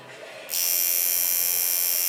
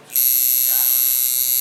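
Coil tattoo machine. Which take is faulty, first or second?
second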